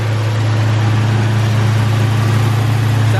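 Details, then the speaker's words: 1963 Chevy C10, first start after years sitting, exhaust leak, little fuel in the tank: deep, steady low hum with an even beat about four a second; normal warm-up idle. "good doesn't it yeah we're gonna let it warm up that's awesome"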